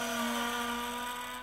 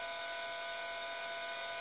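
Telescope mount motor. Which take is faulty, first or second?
first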